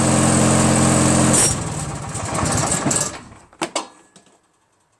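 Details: Craftsman DYT4000 lawn tractor repowered with 14 hp Briggs opposed twin: steady running drops hard when PTO engages, labours, coughs and stalls; poorly lubed mower deck spindles drag on the three-blade deck.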